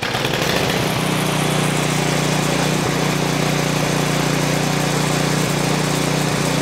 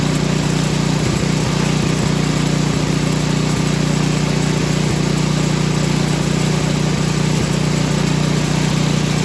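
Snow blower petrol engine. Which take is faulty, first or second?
first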